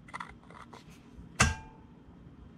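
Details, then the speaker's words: 2005 36V EZGO PDS cart, rear jacked up, new Navitas TSX 3.0 600A controller and HD solenoid. Solenoid clicks open and closed with no motor hum; wheels only twitch in forward, amber flashes. Owner suspects the motor after armature studs shifted during the 2-gauge cable upgrade. "the wheels jump ever so slightly let's do it again solenoid opens and closes"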